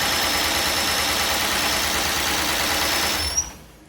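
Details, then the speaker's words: 1998 Cadillac Seville STS, Northstar 4.6 V8 with blown head gaskets, previously hydrolocked and frozen: it fires and runs roughly with an uneven, ragged beat, then is shut off; definite misfire but no knocking heard. "Oh. Hey, it fires. It wants to run. It runs like shit, but it runs. I don't really hear any noise out of it. No, she ain't happy."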